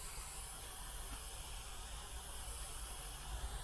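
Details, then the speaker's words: Damaged WARM monoblock heat pump: steady faint hiss of escaping refrigerant over a low hum, no rhythm, at an oily spot on the circuit; leak confirmed with foam bubble over a small hole, protections failed to trip. "Tu mamy olej, świetnie błyscy. I syczy. Może będzie słychać."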